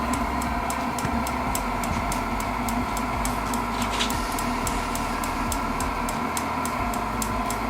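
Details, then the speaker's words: Modified propane heater with a fan dimmer and propane regulator: sharp, even ticks about three a second from the piezo igniter clicking nonstop over a steady fan roar while it blows warm air. "you know it's just warm air you can still hear that clicking from the piezo but that piezo will be on all the time now"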